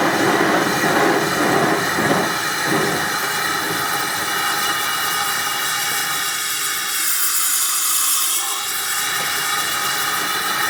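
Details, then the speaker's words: Amal gas forge burner on fairly low gas pressure: steady soft roaring hiss with a faint flutter, unchanging throughout. Normal burner operation. "But yeah, they're great little burners, these. And that's on a fairly low pressure, that as well."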